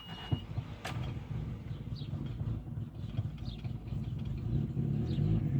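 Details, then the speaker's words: Old petrol car, hard starting, running low and uneven with lumpy irregular throb and charcoal-colored exhaust smoke; to be treated with Sea Foam. "This is my old goat. Been around forever. It don't like to start."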